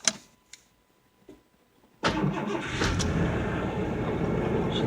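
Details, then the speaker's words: 1988 Ford Ranger GT, about 81,654 miles on odometer (possibly rolled over), just back from a tune-up with new spark plugs, cold start: a few clicks, fires after short crank, settles to slightly high, even cold idle without misfire; normal cold start. "she's idling a little bit high which i mean it's probably cold it seems to be idling fairly"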